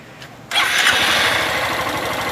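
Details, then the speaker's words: Honda Fan 160 motorcycle idling with a light, even valve tick. Owner suspected the rocker arms needed adjustment; the mechanic says the bike is new and the sound is normal, so no adjustment is needed. "rapaz Isso aí só tá chocalhando só isso assim ó chocalha pode mexer não 160 assim mesmo"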